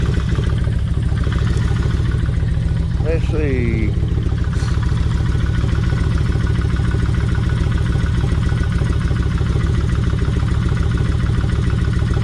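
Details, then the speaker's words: Kawasaki Vulcan 1600 idling with 5-minute motor flush added before oil change; lifters and rocker arms already tapping. Loping V-twin idle with light uneven rattle about three a second; something loose, source not yet found. "now yeah there there's something loose right in here somewhere I hadn't found it yet uh but oh"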